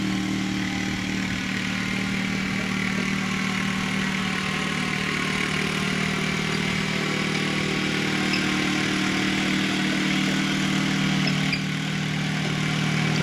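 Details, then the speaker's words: FF/18 fitted with a liquid-cooled two-cylinder Honda engine taken from a tractor: smooth even two-cylinder beat at steady speed, no knocks or rattles; normal running. "she sounds good we'll call this one a video"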